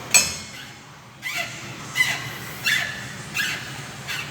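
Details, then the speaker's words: GM Astra/Vectra/Meriva suspension: sharp squeaky creaks about every 0.7 seconds as the stabilizer link is rocked by hand, with play felt in the hand; worn stabilizer link or bushing, heard over dips. "esse barulho aqui é que vocês vão conseguir através do vídeo perceber mas também eu sinto que está fazendo um giro na minha mão além do barulho tá fazendo rígido na minha mão"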